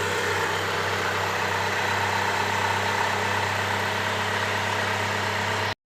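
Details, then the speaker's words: Hyundai Trajet after replacing the cracked power steering pump bearing; smooth, steady idle with an even low drone and no whine or growl from the pump area. The noise is gone and the idle is normal. "jos Alhamdulillah teman-teman karena bunyi yang berisik di pompa booster ini sudah hilang"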